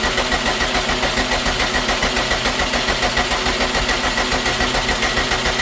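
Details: 2012 Subaru STI hatchback, rebuilt engine, first start attempt after sitting nine years, new fuel pump and tank, 93 octane: a steady, even cranking rhythm of about two beats a second keeps turning over without catching. Long crank, no start.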